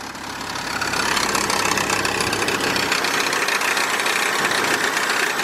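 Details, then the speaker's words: 2002 Kia Optima with code P0102 that stalled in gear, just after a new vacuum line let it idle on its own: fast, irregular light ticking over a busy idle; possible noise inside the timing cover and a slight misfire. "got some noise maybe inside the timing cover I've got a slight misfire"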